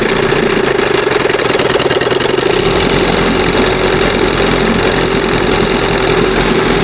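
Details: 1971 Johnson 20 hp outboard, two-hole butterfly carb leaned a little: fast steady buzz never settles, won't idle past just after second mark; high idle, air/fuel leak, reeds or pump diaphragm suspected.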